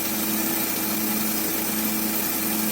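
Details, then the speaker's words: Honda Accord V6 right after its first start following engine reinstall and rear main seal replacement, check engine light flashing then going out. Even, steady idle with a smooth light hum and no knocks or misses; normal idle. "yeah this is running it's alive so that's it it's running right now"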